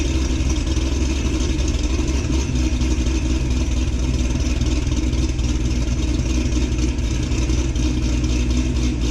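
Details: 2006 Corvette Z06 V8, cold start before new cam and ported heads install: steady deep rumble at fast cold idle, even firing, no knocks or ticks; normal cold idle.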